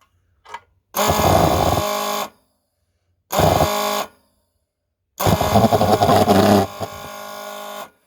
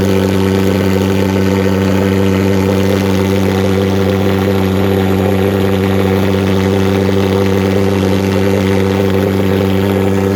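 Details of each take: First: Vectorfog H100SF gasoline pulse jet thermal fogger, hot restart after shutdown, fuel smell, owner says it's flooded and suggests waiting 15 minutes for leftover fuel to evaporate: three short buzzing bursts of 1–3 seconds cut off by silence; fires but won't keep running. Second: Vectorfog H100SF gasoline pulse jet thermal fogger on VP Racing canned fuel, started by holding the start button 8–10 seconds, solution tank shut: loud, unbroken buzzing drone at constant pitch, no popping or misfires; normal running.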